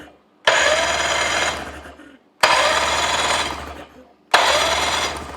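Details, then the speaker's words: 1985 Johnson 20hp outboard, electric starter reinstalled after being freed from locked-up state, tested on battery: three clean bursts of smooth even whir about a second and a half each; healthy starter. "I think we got a starter that'll work."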